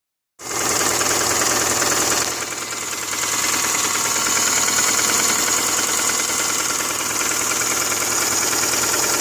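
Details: 2005 Subaru Forester petrol engine idling steadily with a light regular knock of about three beats a second; owner is troubleshooting the noise.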